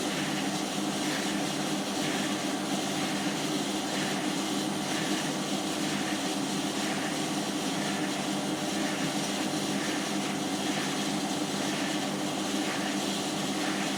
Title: My Hotpoint Washing Machine is Making a bit of a Squeaking and Scraping Noise when Spinning on 30c